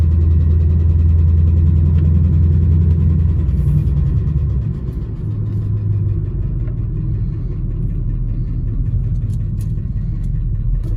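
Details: 2010–2015 Chevrolet Camaro SS LS3 V8 at idle: steady light tick, three to four per second, over deep rumble; lifter tick versus rod knock uncertain.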